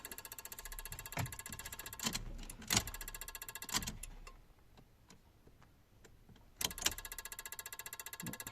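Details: Peugeot 107/Citroen C1/Toyota Aygo electric power steering unit, fault code C1554: fast even buzzing chatter of tiny clicks stopping and restarting; burnt contacts in the EPS unit's Omron G8QE-1A power relay.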